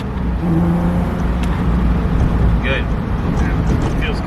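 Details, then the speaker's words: VR6-swapped 1984 Scirocco MK2 with an injector that now clicks and sprays fuel, revved: strong, smooth note rises and settles cleanly without stumbles or misfires; engine running healthy. "thank god that's so much better give it some rev that's the noise we want"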